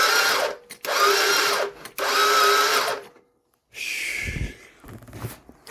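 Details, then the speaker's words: 2013 CF Moto Z6, battery connections just fixed: three short, high whirring bursts as the starter spins freely without engaging or turning the engine; the cover must come off to inspect. "Nope. I don't know. Sounds like something's it's spinning, but I don't."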